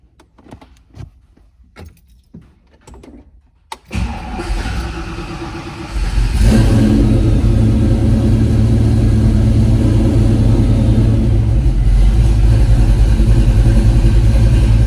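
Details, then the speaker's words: Fox-body V8 with a Holley Terminator X after idle-control (IAC) tuning, warm: a short crank, a flare, then a steady, even low rumble at the commanded 800 rpm idle with no miss or hunting. "So, we've settled in to our 800 RPM, what we're commanded."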